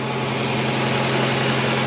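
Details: 2004 Ford Fiesta after water pump replacement and accessory belt refitted, cold with coolant bleeder open; steady even idle with no squeal or chirp from the belt, running normally.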